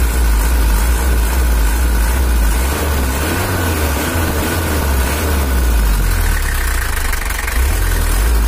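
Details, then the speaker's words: Toyota Hiace LH11 diesel (2L) pickup after tuning, throttle lighter and more responsive. Deep, fairly even diesel running with a firm low throb and no knocks standing out: normal diesel running. "Oke, itu udah cukup untuk Toyota LH11. Nggak usah terlalu ditekan lagi, nanti malah suaranya jadi nggak enak."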